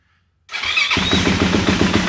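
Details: Bone-stock 2024 Yamaha YZ450F, 125 hours, motor never opened and valves never adjusted: quick catch after a brief crank, then a crisp, even thumping idle with steady pulses and no knocks. Healthy start.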